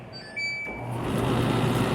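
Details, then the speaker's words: Condenser dryer that previously would not spin, after the fix (a part removed, tightened and refitted): a couple of beeps, then the motor catches at once and the drum hum builds steadily with no slow roll; normal drum start. "You see right there? I hit this start button. It's going to It's not going to be a slow roll like it was before. It's just going to take"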